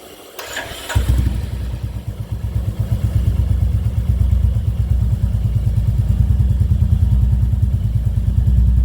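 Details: Royal Enfield Classic 350 Reborn with newly installed long-type PoweRage exhaust, DB killer removed, some starting trouble (owner unsure if battery): catches after a short crank, then deep, loud, even thump about three beats a second building with throttle.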